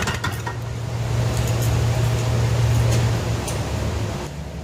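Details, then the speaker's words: Lawn-Boy Insight single-stage snow blower after service with a new spark plug, exhaust hooked up: small two-stroke holds a steady, even speed with low hum, no surging; running stable. "i guess i feel pretty satisfied with that it seems to start to run pretty stable"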